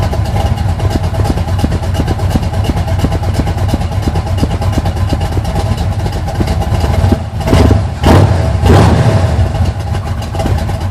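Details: 1980 Sierra C15, junkyard L31 Vortec 350 (130k-mile pistons/rods, 9.5:1), Summit K1107 .488/.510 lift cam, Performer RPM intake, 600 Holley, Flowtech headers, Thrush turbo mufflers; cold start: choppy, uneven lumpy lope with quick throttle blips from aggressive cam; mic clipping.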